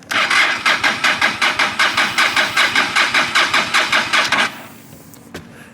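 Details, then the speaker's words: Carbureted 2006 motorcycle, key on, in gear, fuel present, probably not started in a while: starter churns about two and a half turns a second for four seconds, never catches, battery getting weak; crank no start, cause unknown. "unfortunately I could not get it started and the battery is a little weak now"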